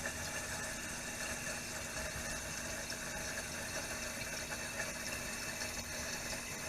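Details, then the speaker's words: Toilet (commode) tank heard from another room: steady hiss of water refilling with no flush first, because the worn flapper leaks water out, the float drops and the fill valve refills; a ghost flush, fixed by replacing the flapper. "Okay, I think I just heard it ghost flushing from the other room. Actually, it's not flushing. Water's leaking out and the float goes down, so it starts refilling. That's the sound you hear, is the water refilling, not an actual flushing."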